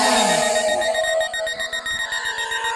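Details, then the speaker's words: SJRC F22S2 Pro Plus drone in flight: a steady long high beep over the motor whir as the anti-collision feature detects an obstacle ahead and blocks forward flight; obstacle avoidance warning. "Jadi ketika dia mendeteksi ada rintangan di depannya, dia tidak akan maju dan ada suara bunyi bip panjang seperti ini, dia tidak bisa maju. Nah, akan kedengaran bunyi bip yang menandakan bahwa ada halangan"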